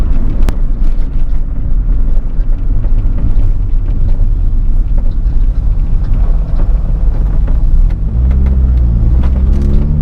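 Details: 1993 Honda Del Sol SI targa roof after rattle fix, test drive over bumps: steady low road rumble, no rattle or buzz from the roof; top sounds quiet and tight.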